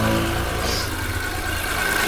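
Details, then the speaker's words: 2018–19 Suzuki Ravi petrol engine after timing belt tensioner bearing replacement, marks aligned: smooth, even idle with no squeal, chirp or rattle; previous noise from the timing bearing is gone, normal idle. "देखिए अब इसमें कोई आवाज़ नहीं आ रही, ठीक है।"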